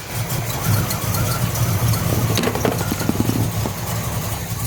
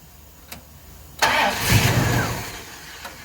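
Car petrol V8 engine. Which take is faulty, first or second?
second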